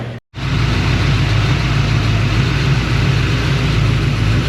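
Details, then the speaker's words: 1941 Ford engine at idle with vacuum gauge fitted: steady low even idle, regular pulse, no knocks or ticks; about 16–17 inches vacuum, no valvetrain problem, possibly a mild cam. "Nothing bad in the valve train. If it had a valve train problem, the needle would do this."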